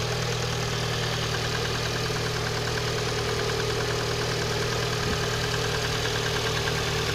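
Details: Engine knock at idle: uneven knock roughly three a second from inside the engine over a steady idle; cause not yet pinned down.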